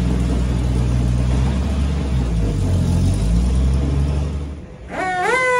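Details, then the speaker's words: Truck just converted from points to Pertronix electronic ignition at full 12 volts, distributor not locked down: low, lumpy, uneven idle; runs rough, timing still needs setting. "you can see how it runs with the new components but definitely some tuning to do"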